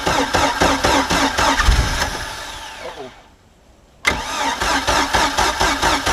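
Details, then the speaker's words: Mercruiser 3.0 in a Stingray boat that sat 9 years, on muffs after a new fuel pump and carburetor, needing about 15 seconds of cranking to pull fuel: steady starter chugging, pauses, never catches. Cranks but no start. "see if it'll at least kick over this time really wants to i can hear it it's just not so dang close though man"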